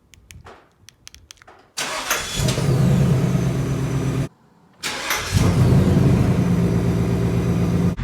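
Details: Warm start on a new 2020 Ford Mustang GT V8: starter whirr, engine catches with a rev flare, then settles to a lumpy idle with an odd note; owner finds the warm start sound weird, cause unknown.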